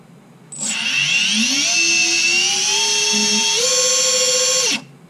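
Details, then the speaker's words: Emax 2205-2600KV motors on Littlebee BLHeli 20A ESCs with DampenedLight, 210mm quad, run from Betaflight motor tab: clean whine climbing in steps with no stutter; no yaw twitching on the bench. "if I turn on inside of beta flight and I give them order to run you don't hear that twitching"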